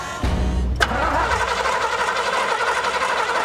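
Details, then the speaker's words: 1982 GMC C10 with a homemade propane setup, sat for over 25 years: starter cranks steadily with a few sharp firing pops but never catches. Spark and compression are present; it seems starved of fuel. "oh yeah we got spark getting fire yeah pretty good real good that's good we got compression we got fire fire just need fuel at this point huh"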